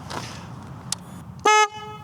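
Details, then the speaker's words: Royal Enfield Meteor 350 with a new black aftermarket horn replacing the original chrome one: a short, loud, clear steady blast over a quiet idle. The horn is much louder than the original and works well. "Of course, the original chrome one looks better, but this horn here is much louder."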